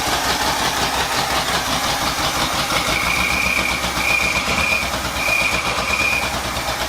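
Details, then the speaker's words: Carbureted V8 with black smoke and unburned fuel from driver's side bank: just fired, runs unevenly, stumbling hard on throttle and nearly dying; owner suspects accelerator pump or choke setting. "It's like the accelerator pump isn't doing what it's supposed to or something. It's about to die again. I do not understand what's happening."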